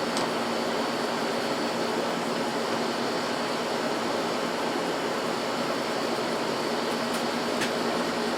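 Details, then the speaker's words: Scrap window AC unit that had lost its R-22, recharged with R-152A: steady fan hiss over a low constant hum, no knocking; condenser about 110, cooling well, compressor sounds fine and not overheating. "so it's definitely cooling definitely putting heat out compressor sounds fine not ridiculously overheating or anything"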